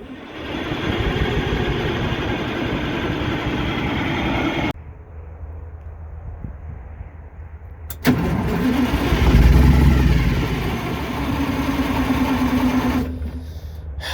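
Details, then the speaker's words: MCI MC8 diesel bus, sat about two years, first day above freezing, cranked from front controls, batteries suspected weak (owner plans to charge them): starter churns about three and a half beats a second, pauses, cranks again, never catches; long crank, no start. "well i think we need to charge batteries up on this thing they were showing 25 but this thing's been sitting"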